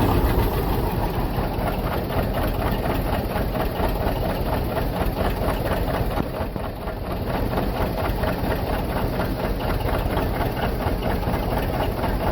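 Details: John Deere 730 two-cylinder diesel, rebuilt water pump, first start in about 8 years after sitting in a shed: slow, even putt-putt of about two beats a second, holding steady with no knocks or misses; tight, healthy normal idle.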